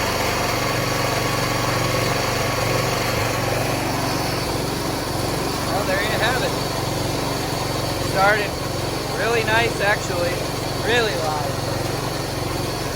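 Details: Wheel Horse 212-5 tractor started after a month unused on an 85°F day, known fuel delivery issue; small engine settles into a steady, even putter with no misses or knocks, birds in background; running normally.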